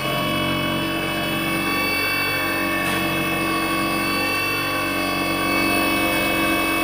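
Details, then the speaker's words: Easy bike (e-rickshaw) drive motor, end cap already removed, run before disassembly: loud steady whine with several piercing tones over a rough hum as it spins; excessive motor noise, cause unknown. "তো বন্ধুরা, এই মোটরটায় অনেক শব্দ আসতেছে। তো বন্ধুরা, আসলে কি সমস্যার কারণে এই শব্দটা আসে?"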